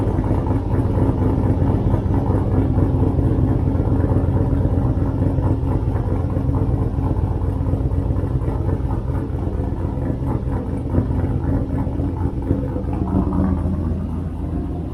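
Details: 6-liter turbo solid-axle swap truck with NV4500 manual and NP241 transfer case and newly finished exhaust, mic at the tailpipe; deep, steady exhaust rumble, even and unbroken with no ticks, knocks or leaks. Normal idle.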